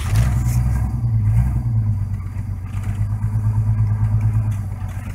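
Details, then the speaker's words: High-mileage 306 V8, cold start: rough, low, uneven thumping under the idle at about three beats a second, engine knock, cause unknown. "This is the start. Oh yeah, listen to it knock."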